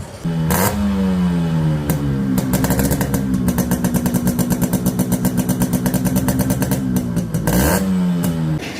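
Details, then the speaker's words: 1992 old-model Yamaha RX100 two-stroke after full restoration and repaint: crisp popping idle, clean blips up and back, then a steady fast rev held evenly; engine sounds sharp and healthy, normal. "இந்த வண்டியோட beat sound கேட்டிருப்பீங்க, எப்படி இருக்குங்கிறத மறக்காமல் comment பாக்ஸில் சொல்லுங்கள்."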